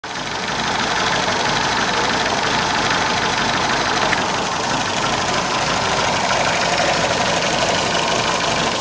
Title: MG Misfire